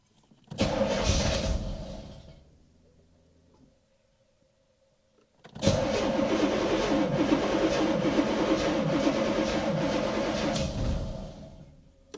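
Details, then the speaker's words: 1985 Chevrolet Corvette C4 V8, flood-damaged car, first start after engine work: long cranking, then it catches and stumbles unevenly without settling; sounds like timing is off though timing wasn't adjusted; hard start, rough running. "i almost sound like timing's off well that doesn't sound good does it [Music] that sounds like timing is off i didn't adjust the timing though"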